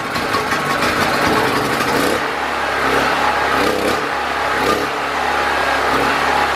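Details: Predator 4000 generator with brand-new twice-cleaned carburetor, new fuel filter, choke on, mixture screw 1.5 turns out: revs hard, then runs rough and wavering in pitch; mixture possibly still off, gaskets suspected as cause.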